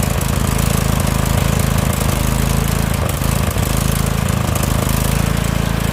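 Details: Husqvarna lawn tractor with Briggs & Stratton Vanguard V-twin: loud, rough idle that dips and picks back up instead of holding speed, hunting and surging; owner says the carburetor has to come off, cause not confirmed.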